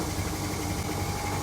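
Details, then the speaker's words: Panasonic air conditioner outdoor unit; compressor starts with a steady low hum and a faint rattle from the uninstalled housing, no knocking or labouring; normal compressor running. "Okay. I can already hear the compressor starting. But this housing is not installed. A little shaking sound"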